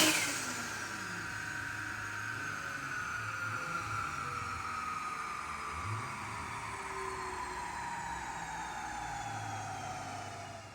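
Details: Nissan R34 drift car on the dyno, first base pull at about 9–10 psi boost with new intercooler and piping, rich AFR, untuned: revs climb smoothly to redline with no stumble or breakup, then fall away. Healthy full-rev pull.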